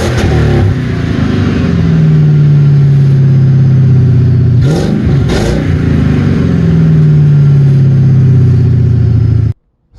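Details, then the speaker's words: Ford Crown Victoria after the exhaust was finished with cherry bomb mufflers and gutted cats: a smooth, low, even drone that swells on a couple of throttle blips and falls back without popping or rattles. It runs mellow and normal. "So freaking quiet. That's insane."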